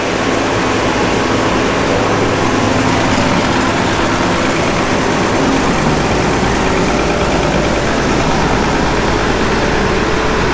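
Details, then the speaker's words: Gleaner F combine after separator clutch shaft bearing and pulley replacement, separator engaged: steady even drone with no rubbing, squeal or knocking; drive running normally. "let's Engage The separator and see if we hear any noise from that side of things I like the fact that that pulley doesn't rub anymore me everything sounds like it"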